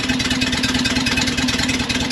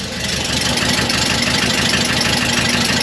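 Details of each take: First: Porsche 912 at idle after botched shop work, heard at the tailpipe after the brand-new muffler: steady, even exhaust pulsing, real combustion sounding proper, unlike the high-pitched tick of suspected exhaust leaks at poorly fitted J-tubes/muffler gasket. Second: Porsche 912 air-cooled engine idling cold, mic held out at the exhaust: faint, quick ticking from a leak ahead of the new muffler, likely a poorly fitted J-tube or an improperly installed muffler gasket.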